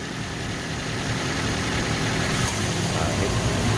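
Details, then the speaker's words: Car radiator cooling fan motor that had been noisy and weak from age, tested after repair without draining the radiator: steady fan whoosh over an even idle with the AC on. It stops when the compressor cycles off and restarts after about 5 seconds. Normal running. "Oke, berhenti ya, karena kompresornya berhenti. Selang 5 detik akan berputar lagi."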